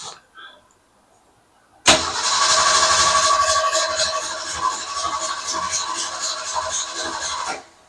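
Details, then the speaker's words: Car that died while backing in, cranking with a few gas pumps: steady starter cranking about four turns a second for several seconds, never catches; fuel delivery problem, owner suspects a plugged fuel line possibly from rust and corrosion. "Nothing. Why nothing? You don't understand. Makes me think the fuel line is plugged."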